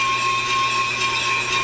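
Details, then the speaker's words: On-car Pro Cut brake lathe machining a brake rotor: a steady high ringing tone over the cutting noise after the arms are locked down, lathe chatter from vibration. "Now, we lock them down. You hear that ringing? We don't want that."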